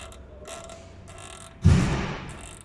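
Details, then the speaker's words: Skoda Octavia A7 (Octavia III): slow dry creaks as the body is rocked, then a dull thud, heard in the cabin over certain bumps like an old carriage; worn anti-roll bar drop link creaking in its joint. "Когда сидишь в автомобиле и едешь по определенным неровностям, то вот этот звук, он, в общем, он в машине слышится, как будто ты едешь на, я не знаю, какой-нибудь колеснице"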